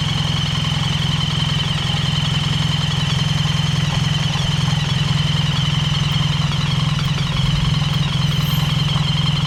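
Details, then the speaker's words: BMW R1300GS after dealer repair (cams and timing chains fine, valve clearances rechecked), right-hand side of engine at idle: steady even idle, smooth low thrum, faint hiss, no rattling or metallic noises; now quiet like the left side. "and as you can hear now guys on the right hand side it's absolutely as sweet as a nut there's no rattling no metallic noises"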